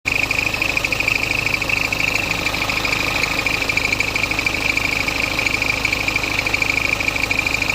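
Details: Diesel BMW F10 520d with N47 engine idling: steady, high chirping squeak pulsing about three times a second.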